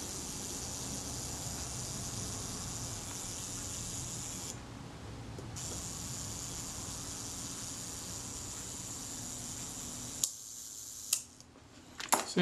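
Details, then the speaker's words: Kodak Retina shutter after a cam engagement adjustment: even buzzing whir for about ten seconds, ending in a crisp shutter click. Self-timer runs down properly. "and the self timer let's cut this does that run down certainly does that seemed pretty good too"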